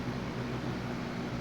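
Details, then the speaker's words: Lasko WeatherShield box fan bought 2017, still working, on medium speed: steady even rush of air with low hum, no ticking or rubbing; sounds like a Lasko 3733 on low, running normally. "All right, let's go to medium. Now, medium sounds like Alasco 3733 on low."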